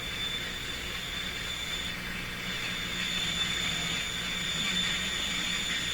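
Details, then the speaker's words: Telefunken Salzburg 5094W console receiver tested on AM, where an unmodulated interference signal was seen. Hissy, harsh reception with a steady high-pitched whistle over the station. Distorted squealing reception, cause not yet found. "Okay, it sounds terrible."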